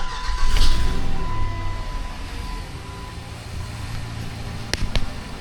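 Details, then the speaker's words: 2006-2010 Jeep Commander 5.7L HEMI just after installing an AFE sealed cold air intake: engine starts and settles into steady deep idle, sounding the same as before, no extra whine; normal idle. "So the good news from my perspective is it sounds the exact same way it sounded before. No extra whine, at least at idle."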